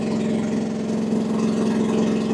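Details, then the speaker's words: AGT WH12R 1-ton Chinese mini excavator, diesel, hydraulic gauge reading about 2300 PSI with bucket deadheaded both directions; steady, slightly loaded even mid-pitched drone as hydraulics push against relief, nothing abnormal: normal hydraulic relief at deadhead. "Looks like 2300. And that's deadheaded both directions."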